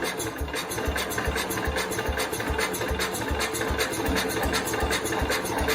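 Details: 1969 Cub Cadet 105 after carb screw readjustment, given throttle: uneven single-cylinder chugging two to three beats a second, never picking up or running on its own; owner suspects wrong timing and plans to pull the engine.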